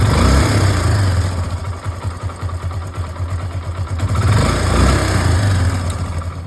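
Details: Hero Glamour single-cylinder after adjusting the failed timing chain tensioner: smooth, even idle with steady low thump and no ticking or rattle; earlier timing chain noise removed.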